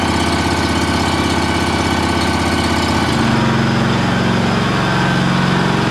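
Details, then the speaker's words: John Deere 757 mower owned since new, first start of the year after sitting since last fall on fresh gas: runs steady and even, settling to a smooth idle with no misses or knocks; normal running. "fired right up guys I have to say that I really have no complaints with this mall or whatsoever it's been a really good more"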